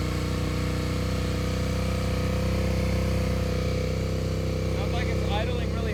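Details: Suzuki SV650 abandoned for years, first start after fresh 10W-40 oil and battery swap: fast, steady V-twin idle staying well above normal without settling; idle too high, cause unknown, possibly choke.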